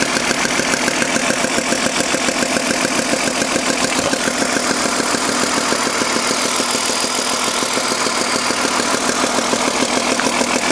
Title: BMW M52 weird noise.